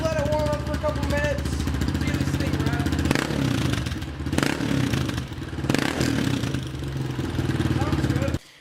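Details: Honda CRF230F single-cylinder bike after uncorking and carb jetting. Quick catch then steady even idle with crisp exhaust beat, no misfire or hunting; normal startup and idle.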